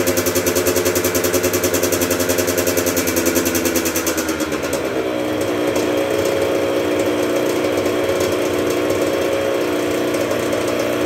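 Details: 1996 Yamaha YZ80 80cc two-stroke, first start after full engine rebuild, primed with choke: crisp crackle revving up and dropping back to a steady high ringing idle, picking up cleanly with no knocks; healthy.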